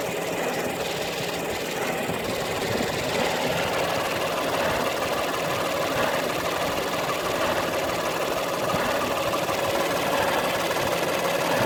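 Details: Peugeot 308 II engine at idle: rapid light knocking, about three per second, with a faint rattle over it from a defective air-conditioning compressor.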